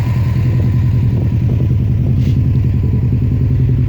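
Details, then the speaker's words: 2006 Subaru STI with a newer aftermarket turbo: a rough, shaking idle with a loose clatter, compression pushing out, oil spilling, and smoke, with the oil looking blue. The owner suspects the turbo let go rather than the head gasket. "So the car is shaking a lot. Okay, and compression is coming through here."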